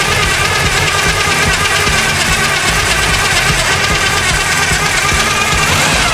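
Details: 1974 Chevy Nova after years sitting: a loud, ragged roar with uneven knocking and sputter that never settles into a clean idle. Super old gas in the carb's float bowls is suspected; the plan is to burn it out or clean the carb.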